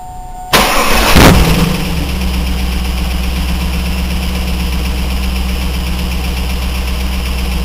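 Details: 2000 Trans Am LS1 V8, 95k miles, FAST 92mm manifold, 92mm throttle body, SLP FlowPac, 3.90 gears: cranks and settles to deep idle with a light regular tick that just started; oil fine, cause unknown.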